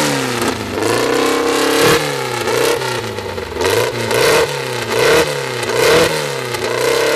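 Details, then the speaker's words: First start of a newly assembled 2054 engine (Fusca) after nearly a year's work: steady, busy air-cooled fast idle around 1200 rpm, kept high so parts seat in, with gear whir and light blips; healthy. "ele já está com uma marcha lenta de 1.200 não vou baixar marcha lenta agora vou colocar mais acelerada nele para as coisas irem no lugar"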